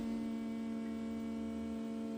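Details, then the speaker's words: Ford ST170 engine swapped into a Mk1 Escort, ME221 ECU with base map loaded, throttle position sensor unplugged and set to 0%: steady even hum of the fuel pump priming before the first start attempt; normal. "can hear the fuel pump pumping the fuel."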